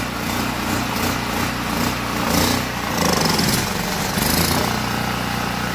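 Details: Generac GP1500 generator after cleaning a Huayi carburetor that had gummed up from fuel left sitting, which had caused surging and no-start. A steady small-engine drone holds an even pitch with no hunting; it runs smoothly.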